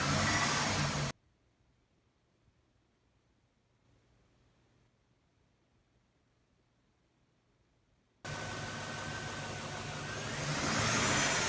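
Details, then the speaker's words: Chevy Trailblazer petrol V8 with P0300 random misfire and P0174 lean codes, after MAF sensor replacement and clearing codes: thin, steady high whistle when revving; suspected vacuum leak, unconfirmed; P0174 did not return. "as we just heard we're still getting kind of a a whistling kind of high-pitched sound when we accelerate which could be a vacuum leak"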